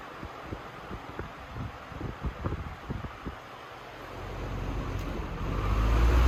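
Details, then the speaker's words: 1994 Lakewood HV-18 fan after motor cleaning and bearing oiling, reassembled: a few clicks, then a low airy rumble swells steadily as the blade comes up to speed and the fan runs smoothly; normal running. "The motor is all back together. It's nice and clean now. It runs great."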